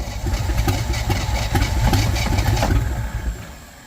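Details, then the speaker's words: Willys Jeep started after sitting many years, running on fuel poured into the carburettor vent, fuel pump supply not yet connected: uneven chuffing beats about four a second that sag and fade after three seconds; briefly runs. "oh we have [Music] rage listen to that old sweetheart Now That's What I Call success"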